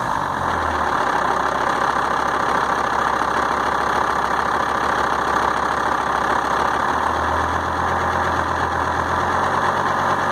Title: S80 d5252t rough idle